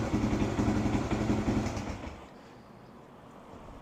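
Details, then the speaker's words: 1978 Kawasaki KL250 single-cylinder, cold start on full choke after cleaning points and setting static timing, new petcock and homemade exhaust fitted: crisp, even revving dropping back to quiet steady tick-over; revs much better than before, owner thinks points were dirty. "Sounding good. Hasn't warmed up yet, though. But It's revving a lot better than what it did yesterday. I'm thinking the points were just dirty."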